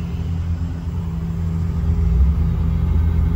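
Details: 1986 Nissan 300ZX 3.0 that had a no-start complaint. Once the fuel pump wire gets its missing ground signal, the engine stabilizes and revs with a smooth, deep, even rumble, running fine.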